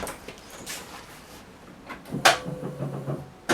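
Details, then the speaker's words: Porsche 928 first start attempt: sharp click and brief low hum, then another click, no cranking; starter solenoid engages but motor doesn't turn, owner suspects jammed starter, later disassembled. "I just engaging but doing nothing so let's get under there and test the voltage and uh give it a tap"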